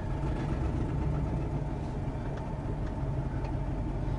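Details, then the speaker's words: Truck with a suspected plugged catalytic converter, driven with the exhaust opened ahead of the cat: a deep, loud, raw tractor-like rumble. Hesitation is gone and power returns uphill, confirming a clogged catalytic converter. "sounds like a tractor right now surprise check engine haven't came up yet"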